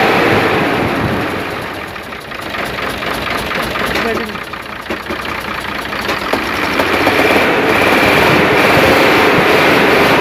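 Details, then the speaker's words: Hino Euro diesel truck engine at idle, heard at the silencer after work on the missing: misfire improved but rapid even chuff-chuff puffing persists, like a seat leak; suspected valve seats, exhaust chuffing. "अभी भी यहां से यह छुप-छुप की आवाज कर रही है इसमें से मैंने आपको बताया था"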